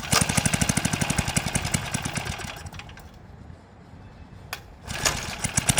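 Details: 1970s Hahn Eclipse BHT-120 tiller, 3.5 hp flathead Briggs & Stratton, revived after decades sitting, gear fluid full, tilling wet dirt: steady single-cylinder thump dips briefly under load and recovers at once; engine pulls cleanly and sounds healthy.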